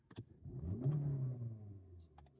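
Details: Hyundai Sonata that had a bad misfire and flashing check engine light, started after the fix: engine catches and settles into a smooth, steady low rumble with no stumble or shake; misfire gone, running normally.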